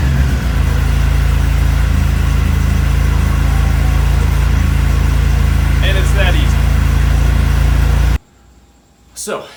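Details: ATV that had sat dormant, after a tune-up with fresh gas: a steady, even low idle with no stumbling, ticking or misfire for eight seconds before it cuts off. Normal idle.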